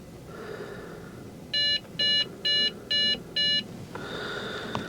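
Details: Trash-picked Dell Inspiron 660S desktop, reseated loose memory stick: five short, even high beeps about two per second after power comes back, CPU fan ramping up and down; failed-boot POST code, cause suspected at this point.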